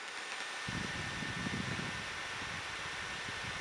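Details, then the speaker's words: HP Envy 14 laptop (Intel i5 460, Radeon 5650, 8GB RAM) rendering video with processor maxed, held close to the microphone: steady even airy rush with faint high tone, no rattle or grinding; cooling fan at full speed, loud but healthy. "But it gets pretty loud. I've heard louder fans before, but it does have a lot going on, so I don't know."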